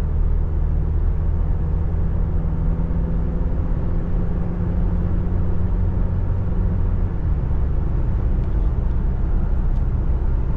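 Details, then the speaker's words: 2023 Toyota Tacoma SR 4x4 with the four-cylinder engine at 1,801 miles, under way in the dark. A smooth, even low drone sits over road hum, with no knocks or whine. The truck is relatively quiet and the engine sounds healthy. "really once uh it hits like when you got the crew set once it's that I mean the truck's relatively quiet so there's not much left to listen to"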